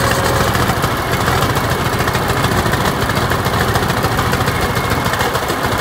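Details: TD25 diesel dozer just started after sitting 20 years (speaker says about 10), with water drained from the tank and new batteries fitted; heavy clatter settles into a steady, even idle with a deep low rumble. Normal idle.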